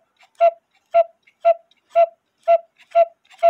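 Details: 1908 GK cuckoo-quail clock with count wheel movement, after regluing the bellows sides: seven clean evenly spaced whistle notes about two per second, clear and full, no wheeze; bellows sound healthy, normal cuckoo call.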